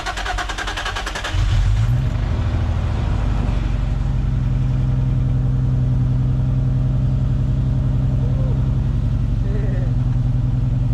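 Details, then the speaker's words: Nissan Z drift car, first start of a replacement V6: catches, then a slightly uneven, shaky deep idle while fluids circulate; the oil pressure gauge reads 120, suspected bad sender or thick oil; rough running. "it started it sounded a little rough it's a little rough though let the let the fluids run through"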